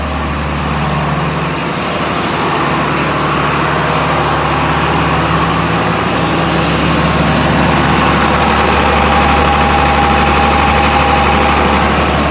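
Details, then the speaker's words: John Deere 4755 tractor idling to warm the transmission oil before hydraulic pressure tests of each clutch pack; it barely drives forward or back. Steady, even low diesel rumble, no knocks or misses; normal idle. Tests later found pack leaks. "Just warming the oil up, it's taking a bit of time."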